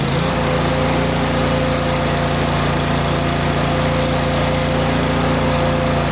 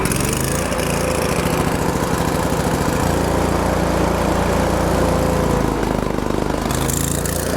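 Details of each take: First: Kohler engine on Miller Bobcat 225NT welder/generator, fully warmed up after idle control module replaced: steady even drone, no hunting or misses; warm engine runs well as mechanical fuel pump works once hot, electric pump needed cold. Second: Miller Bobcat 225NT welder/generator, older Kohler engine, after the idle control module was fixed and an electric fuel pump added: idle pitch dips and climbs every few seconds. Low idle now engages; owner suspects a carburetor issue.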